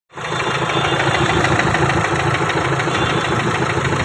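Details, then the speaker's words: Renault Duster diesel, scan showing injector programming code: starts and idles with a sharp, rapid clatter; injector knock from injectors not coded to the ECU, before cleaning the codes. "मैंने इसे scan किया, और इसमें सुई लगानेवाला programming code आ रहा है।"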